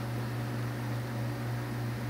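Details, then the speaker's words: Dayton 1LPN8 AC gear motor, oscillator for an outdoor greens fan, after regreasing gears with marine grease and reassembly: steady low hum with soft even whir, no clicks or grinding, rotating again, fixed; normal running. "i hear it and yep there it goes it is now rotating again"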